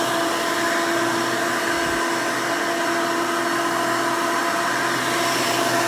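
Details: 1992 Hoover Elite II Total System Performance 650 upright vacuum (U4689-910), motor needed no work since purchase, running: loud, steady high-pitched motor roar with even airflow rush, no rattles or surges; runs smooth, motor healthy.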